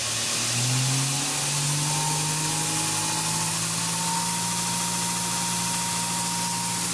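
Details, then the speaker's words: New belt grinder at maximum speed, being leaned on gently by hand; a quieter machine with pretty much no vibration; smooth, steady whine settling at constant pitch after spin-up, even belt hiss, no knocks or rubbing. "at maximum speed, which to me actually doesn't sound very fast because this is a much quieter machine."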